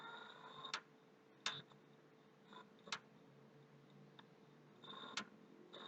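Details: PlayStation 3 clicking near the hard drive, with very slow startup despite a formatted HDD, noise stopping and returning; faint, sharp clicks at irregular intervals, roughly one a second, over a quiet background. The owner suspects a hard-drive or hardware problem.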